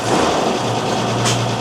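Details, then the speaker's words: Mercedes-Benz 911 4WD diesel truck, sat unused for years, first start after priming the fuel system, started easily with oil pressure: low, steady diesel rumble with no stumbling or knocking; normal idle. "Gee whiz. Couple of presses of that bloody thing and away she went. That's unbelievable. Far out. Yeah, it started real good."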